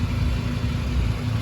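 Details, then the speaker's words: 2011 Volkswagen Golf Mk6 wagon at idle after welding up the loud exhaust: deep, even exhaust rumble with no puffing, ticking or blowing; sounds good now, only a very small leak left at the flex pipe. "car sounds good now"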